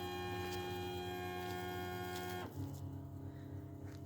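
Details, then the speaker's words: VW Passat B8 2.0 TDI EA288 (DFGA) after repair, fuel bleeding via output test or VCDS transfer fuel pump test, heard from the side under the car: steady electric whine about 2.5 seconds then clean cutoff; normal priming run. "And you will hear that the fuel is going through the system or another option that you can choose in VCDS is select engine and basic settings then transfer fuel pump test go and it run. You can hear it from the side under the car."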